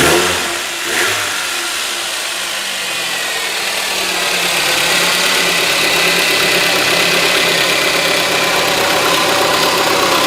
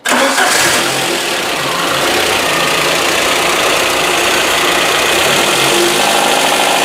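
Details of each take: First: VAZ 2110 8-valve engine after tightening the loose alternator mounting bolt that caused a knock: even idle, steady hum, no knocking; sound now quite different, healthy. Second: VAZ 2110 8-valve engine running with a busy, uneven clatter over idle; knock produced with the alternator bolt loosened, alternator mounting seat worn (peened), letting it shift; alternator mount knock.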